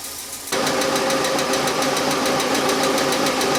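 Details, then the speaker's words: Car that sits most of the time, engine idling: sharp light ticking about four per second following engine speed; tapping hydraulic lifter/lash adjuster, which Rislone engine treatment poured in while running quieted. "so there you go if you ever encounter a tapping sound like that one this engine hat and your engine has either hydraulic lifts their sort of hydraulic flash adjusters"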